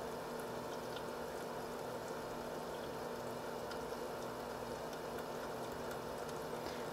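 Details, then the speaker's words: H220 liquid cooler pump, mic close up, no fans: steady soft whir under constant watery trickle, no grinding or rattle; normal pump sound. "now i'm just going to make a sound clip of a close-up of the pump so people can hear and how hear what it should sound like by itself"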